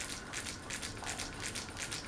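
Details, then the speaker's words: Harbor Breeze Vector Elite ceiling fan on medium speed: light, fast ticking rattle about five times a second in step with the blades, caused by loose tape on the light kit. "See that noise? That's the tape on the light."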